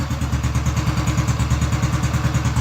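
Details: Honda Biz C100 single, first start after full engine rebuild, idling low with the ignition cover not yet fitted: quick, even putter with a raspy, loud exhaust note; the exhaust is noisier than it should be.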